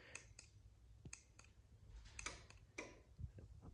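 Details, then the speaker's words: LiftMaster garage door opener in program mode after pressing the red learn button: a few sharp, dry relay clicks in a quiet room, the normal sign the remote was accepted. "you hear it? It clicked, so now it should be able to take this off program mode"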